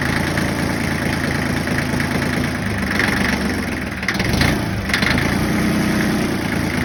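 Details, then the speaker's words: Yanmar 1601D / John Deere 750 diesel tractor after freeing a gummed-up governor rack with lube: steady idle, one throttle blip returns straight down cleanly. Governor and idle now working normally after the repair. "Then just to show you all the end result that I did get the idle to cooperate, we'll fire it up."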